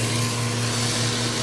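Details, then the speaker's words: Centrifugal pump trainer, electric motor via magnetic coupling, acrylic pump with suction valve closed to about 18-20 inches of mercury vacuum: steady hum, rising hiss and rock-like rattle from collapsing vapor bubbles as cavitation begins. "18 - 20 you start to hear that sound that sounds almost like rocks going to the pipe there's no debris there's no solid materials in here that solid sounding sound is really the collapsing of the vapors levels that they go back to the liquid form"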